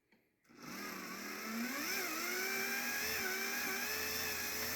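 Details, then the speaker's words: HO scale model railroad turntable motor: a high-pitched whine that starts abruptly, climbs, then holds steady with a buzzy edge. The motor runs noticeably loud and the owner wants a quieter replacement. "I need to find a quieter motor for this"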